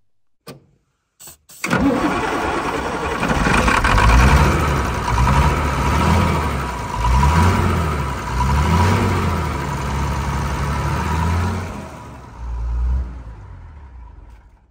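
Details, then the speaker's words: TK Bedford crane truck, Perkins 6354 six-cylinder diesel sat 20 years, started on Aerostart spray: fires, runs unevenly with lumpy surging about ten seconds, then dies; possibly fuel starvation from vacuum-locked outboard tank with cap bleeder left closed. "we just had a vacuum locking our outboard tank so maybe that's why she only ran for so long before she shut down"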